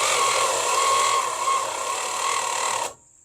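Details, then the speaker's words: Long-sitting slant six after new points, battery grounds cleaned: steady-pitch starter whir, quick cranking beat about three per second, never catches; crank no start, no spark, owner suspects interior wiring. "got no spark all right well I think that's hot I need to check the wiring inside"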